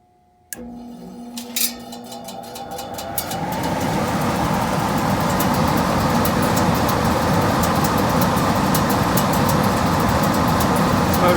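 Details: Gas furnace after blower motor and capacitor replacement, fan switched on at the thermostat: after a few clicks the fan spools up over a couple of seconds into a steady, even rushing hum with no rubbing or squeal; the new blower is healthy.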